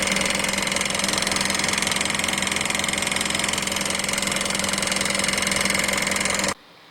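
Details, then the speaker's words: Mitsubishi Pajero 4 with a 4M41 3.2 diesel at idle: sharp, even tick about two to three times a second, not in rod rhythm; found to be a knocking balance shaft (loose bushing) plus worn rod bearings. "Как мы видим, звук не в такт шатуна, не типичный шатунный звук. Поэтому начали разбираться, что так может случаться."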